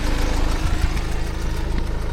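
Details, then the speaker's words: Scrap BMW 630i starting up on a weak battery, smelling of fumes, oil dripping underneath: rough low idle with a rhythmic puffing chuff riding on the knock. An injector is leaking and chuffing past its seat. "Dean's is chuffing from there, so it's starting up. That's why it stinks."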